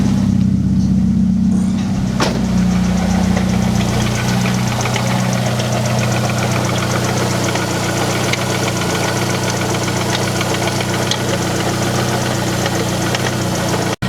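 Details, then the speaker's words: Car at idle, heard near the water pump and pulley: steady idle with fast uneven metallic clinking and faint squeak about four times a second; owner almost certain the water pump is failing, to be replaced. "Alright, so the sound is for sure coming from like right here. I can't tell if it's like the pulley or if it's the water pump. It kind of sounds like it's a water pump, but I'm not sure exactly which one it is."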